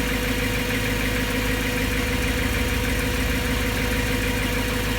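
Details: BMW M3 S65 V8 idling steadily with light, fairly regular ticking about three a second, still present after bearings were just replaced; owner feels it sounds abnormal.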